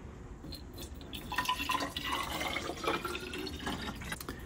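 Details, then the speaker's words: Elva Courier Mark III barn-find race car, engine off: irregular trickling and dripping as water poured in drains out through a removed radiator bottom plug; another fitting plug also likely missing. "okay I hear it leaking out okay so there's actually must be another drain somewhere if we look down at the bottom of the radiator there's actually a plug down there that's been removed"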